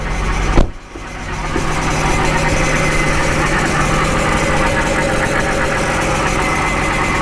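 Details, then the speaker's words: 2011 BMW 328i xDrive at idle after topping up power steering fluid, AC on: steady idle with a faint constant hum from the power steering pump as the wheel is turned; pump working normally. "You should be hearing that pump as I turn that wheel, though. So you can hear it."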